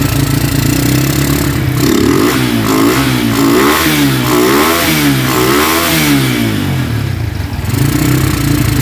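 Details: Honda Tiger single-cylinder motorcycle that smokes when cold and has lost power, started after a wash, revving: rough clattery ticking from the cylinder head that quickens with rpm; cause found to be loose rocker arms.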